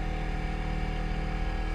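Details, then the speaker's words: BMW F11 rear air suspension with ignition on after replacing a porous rear air spring: steady, even hum of constant pitch, no knocking or strain; the compressor runs normally, inflating the car to ride height in one to two minutes. "je vais dedans je mets le contact là en entendant compresseur je pars si vous entendez là"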